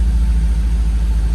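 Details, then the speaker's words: 2009 Cadillac CTS-V with the cleaned green filter in the reinstalled Airaid cold air intake, hood open: a deep, strong engine note with steady pulsing and rising revs, no knocks or rattles; the engine and intake are healthy. "oh damn you could really hear it put that hood open that sounds good"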